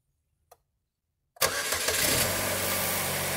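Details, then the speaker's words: Chevrolet Cavalier Ecotec engine after timing chain tensioner replacement, first start-up. It catches cleanly and idles evenly; the earlier timing chain ticking is gone. "and quiet no timing tick like a lot of these cars back hope you can hear me over the engine of course yes that ticking noise is gone everything looks good sounds good"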